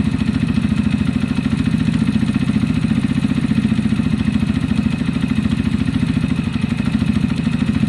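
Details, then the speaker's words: Zontes Chinese fuel-injected single-cylinder motorcycle that kept cutting out, after fixes; even steady idle around three beats a second with faint tappet tick; normal idle. "that seems much better what i'm gonna do over the next couple of hours is keep starting it"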